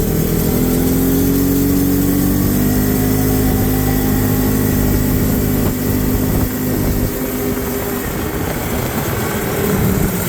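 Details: John Deere ATV, test drive in high gear where it earlier sputtered: engine pulls steadily, rising then even drone under load, terrain rumble, no stumbling or sputter; running clean now.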